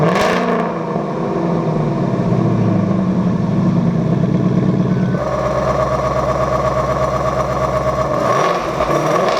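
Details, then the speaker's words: 2-year-old Roush Active Exhaust after replacing the failed driver-side valve actuator, recorded from behind the car: starts in track mode with valves open, sharp bark into a throaty idle, blip raises pitch; strong, healthy exhaust note. "I'll start it up in track mode, which means the valves should be open."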